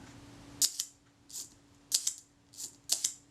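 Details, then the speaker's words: Agfa Record II folding camera's serviced Synchro-Compur shutter tested at the 1/10 second setting: crisp paired open and close clicks, even and credible; normal shutter operation. "Let's try the 1 second setting. That sounded credible to me."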